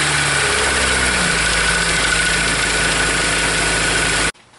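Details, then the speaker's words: 2003 Honda S2000 with over 100k miles, idling: a fast, light clatter from the top end, not the bottom end, that doesn't follow rpm. The timing chain is slapping and out of spec; the engine also misfires in all four cylinders. "you can hear that it wasn't a constant knock it was kind of like you know the chain slapping in here most of the noise was coming up here didn't hear it at the bottom end and again it doesn't follow the RPMs as they go up"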